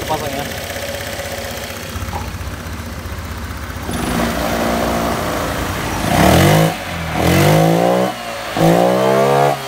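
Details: Honda Vario scooter after flood: throttle position sensor exposed to water caused severe stuttering on throttle, replaced with new TPS; now idles evenly and takes quick throttle blips that rise and fall cleanly.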